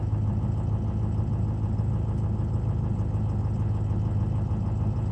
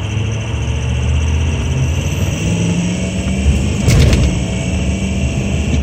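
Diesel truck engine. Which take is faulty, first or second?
second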